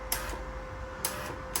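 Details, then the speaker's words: Standard MIG welder being converted to weld aluminium, trigger pressed on normal feed: faint steady mid-pitched electric motor hum with light clicks as the wire feed motors turn, stopping when switched off; normal. "you see the motors moving inside. Then can you see that that one's moving as well? So if I turn that off, stops that moving."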